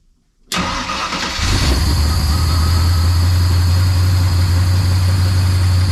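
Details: 1970 Ford Maverick with MSD Atomic EFI, after installing a new gas tank, fuel pump and hanger, regulator and fuel return lines: cranks briefly and catches within a second, then settles into a steady, even low idle with no misses or knocks; normal start.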